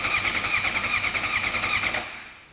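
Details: Suzuki GSX-R750 project bike with starter fluid as a last try and a new ignition key fitted: the starter churns evenly for about two seconds, then winds down without catching; crank, no start. Missing spark is suspected.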